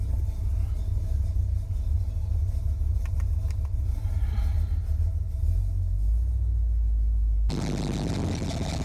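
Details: 1981 Chevy Corvette, brand-new V8 after overheating and fuel-leak fixes: electric fan, insulated fuel line and new filter, and spacer. Deep, steady idle rumble with an even beat and no knocks or misses. Normal idle.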